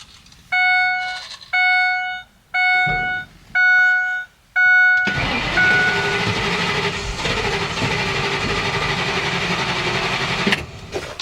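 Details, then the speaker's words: RV, believed to be a 6.8 V10: chime pulses five times, then starter churns about five seconds without catching; fuel pump prime not heard; cranks no start, cause unconfirmed. "crank crank and doesn't start I actually didn't really hear the fuel pump Prime this time"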